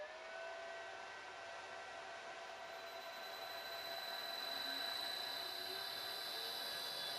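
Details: Three-phase motor of a combination woodworking machine run from single-phase 220V via a frequency drive, now delta-connected, unloaded, about 1.3A input and 4A line current: a steady high drive whine with a smooth hum, no knocks, running healthy.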